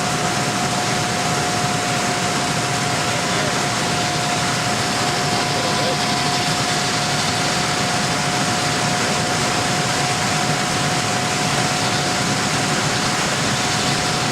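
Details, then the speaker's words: Lennox HVAC unit blower running after blower bearing replacement: even, steady rush of air with a constant faint tone and no thumping or wobble, where before it vibrated all over the roof. "Oh, see nice. Look at that. This thing was vibrating all over the roof last time."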